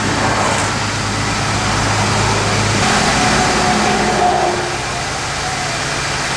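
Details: 1979 AMC Spirit AMX sitting for years, 12 V electronic ignition: steady cranking about four beats a second but never catches; no spark, melted ignition module suspected, distributor hold-down missing, possible water in crankcase.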